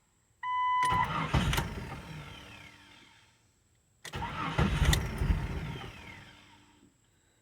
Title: 1999 JEEP Cherokee Hard start